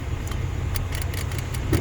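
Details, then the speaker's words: 2013 Toyota Hiace, manual, with about 0.65 A parasitic draw draining the battery overnight: the BCM circuit on standby voltage gives continuous uneven relay clicking over a low hum; fixed by switching it to ignition voltage. "You will hear a clicking sound from the BCM, and it's not supposed to be like that."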